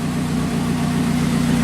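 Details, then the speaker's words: 1981 Alfa Romeo Spider Veloce, first run in about 8 years, exhaust section missing: even settled idle around 900–1000 rpm with a smooth steady beat, no knocks or misses; normal idle. "so just idling about a thousand maybe 900 rpm right now"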